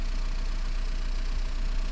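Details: 2010 Renault Mégane 1.9 dCi diesel after repair of a crank-no-start (P0090) caused by a bad wire to the fuel flow solenoid valve, which reads about 742 mA at idle. Even, low diesel rumble with no misses or knocks; healthy idle.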